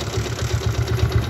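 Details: Yamaha Jupiter MX motorcycle: rhythmic low clatter about eight times a second over the engine from the gearbox, fading then returning when revved; a transmission gear catches, and the teardown found the roughness in the transmission.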